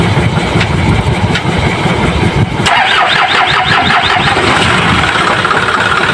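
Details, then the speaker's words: Isuzu 4HL1 diesel before repair, needed fuel pump priming to restart after shutdown: long steady cranking before firing, then uneven stumbling idle; hard starting and rough running, sensor cleaning tried first. "ayan nakita niyo naman at napakinggan mahaba ang cranking at p nag ka ay magog at parang maglagot ang andar ng makina"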